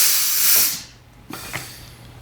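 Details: Air disc brake applied repeatedly after the adjuster was backed off: a sharp hiss of air fades away, then another burst of air follows. Normal air brake operation.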